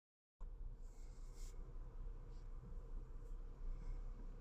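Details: 2009 Ford Taurus after head gasket, water pump and spark plug replacement, idling about 600 rpm: quiet low rumble with uneven lumpy beat about once a second; rough misfiring idle with unstable timing advance going negative and high engine load.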